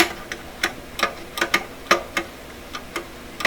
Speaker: it's coming down too far so most record players the over arm is held up high enough that the record player thinks it's dropping records not this one though